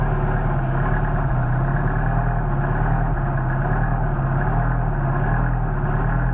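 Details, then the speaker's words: Mercedes 190SL with rebuilt worn Solex 44PHH carburetors (no machining), fully cold start after priming and a little choke: steady even low idle, no misses; idle expected to rise as carbs heat; normal cold idle. "Now we got a real nice idle as it warms up, but that idle is going to increase as the carburetors heat up."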